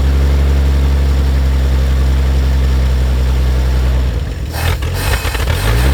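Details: 1950 Chevrolet Fleetline Deluxe six, sitting for years, possibly stuck part jogged loose, accelerator pump working, kept cold: deep, even, steady idle with no knocks, misses or ticking; normal idle.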